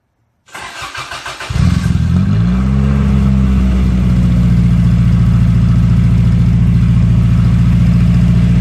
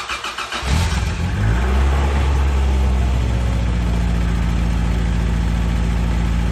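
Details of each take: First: Toyota AE86 with a muffler only resting on an oversized fitting, sealed with gasket maker and held up by a jack stand. It cranks, catches and settles to a deep, booming idle; far too loud: loud exhaust from an unsealed muffler. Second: Toyota AE86 after the exhaust fix; the tip is not yet final-welded, pending the bumper install. The engine catches and settles into a smooth, even idle with a soft, quiet exhaust note and no leak puffing or rasp: normal exhaust at idle.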